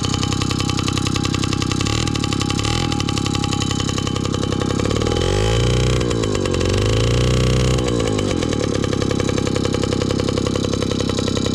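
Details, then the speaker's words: 1983 Honda QR50, unrestored 49cc oil-injected single-cylinder two-stroke, just started from dead cold: steady buzzy running, pitch rising and falling with throttle blips; runs normally. "now it's time to see if we can get the old girl running it's cold completely dead cold"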